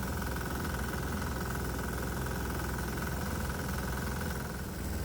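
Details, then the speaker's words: 196cc 3hp diesel, warmed up under load, just connected to alcohol/water vaporizer bucket feeding intake; exhaust and intake temps dropping: steady chug with harsher knock on each firing stroke; knocking heard, may be bad. "And right away we can see the exhaust gas temperatures are dropping along with the intake temps, which is good, but I'm also hearing a knocking sound from the engine, which may be bad."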